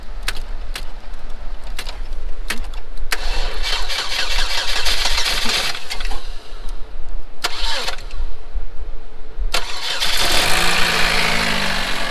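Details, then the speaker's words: Chevrolet HHR that sat long in the cold, started after sorting battery connections with booster cables: several seconds of cranking, then catches and settles into an even, smooth idle with no knocking; normal start and idle. "even sounds good no chalk one up the Chevrolet it's at that long in the cold the engine did start once we got the battery connections all figured out"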